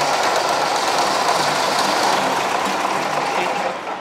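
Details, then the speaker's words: Deutz 3-cylinder diesel with hard starting from a leaking tank and air in the fuel line: starter churns steadily at four beats a second but the engine never fires; bleeding the top fuel pipe to purge air should let it start. "if you bleeding this one, if you bleed the pipe for the diesel, if you bleed this pipe at the top, they will start this. You bleeding, if the air is out, then they will start."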